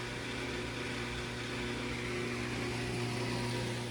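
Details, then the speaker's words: Whirlpool Duet washer, 10+ years old, after drain pump replacement, cover off: a low even hum as the drum winds up smoothly into spin, single clunk at end; normal spin. "Well, it definitely pumped all the water out, and now we're starting to spin. And that'll probably be a little quieter too when we put that cover back on."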